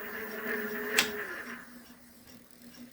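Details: Electric bike hub motor that had started knocking under throttle, after full disassembly, repair and reassembly: a single click, then a faint steady hum that slowly winds down, no knocking or rattle; normal running.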